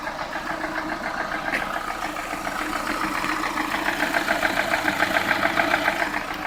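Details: Lada Priora after bent-valve repair, piston group replaced with 124 parts, ~3000 km later; warm idle, steady even light knock quicker than firing rhythm, present cold and warm to ~70°; owner unsure whether piston or hydraulic lifters; ZIC 10W-40 oil seemed quieter.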